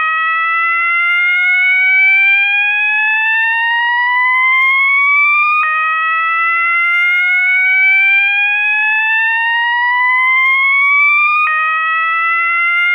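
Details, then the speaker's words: System Sensor MASS121575ADA alarm sounder set to slow whoop with clips A, B and C inserted: a clean tone sweeping slowly upward for about five and a half seconds, then snapping back and repeating. "the next tone is the slow woop and that tone is generated when you insert Clips a B and C"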